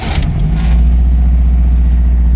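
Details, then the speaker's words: Ford Escort MK3 GLE, cheap: steady fast low hum at idle, deliberately set too high; owner doubts the idle jet works. A separate rattle is probably the unlatched bonnet. "it's still idling a bit high. I um set the idling high."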